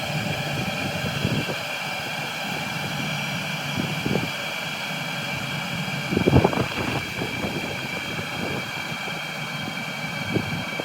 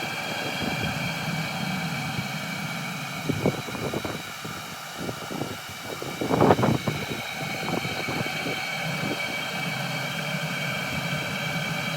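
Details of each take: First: Cheap Chinese 12V diesel heater on about 11.5V from lithium batteries, turned down to minimum heat: a steady fan whoosh with a soft, even fuel pump tick underneath, burning calmly; normal running at low heat. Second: Cheap Chinese 12 V diesel heater running on green fuel pipe: steady burner roar falters with uneven sputtering as a forced air bubble reaches it, heat drops, then re-catches to an even roar; air in fuel line causing combustion stutter.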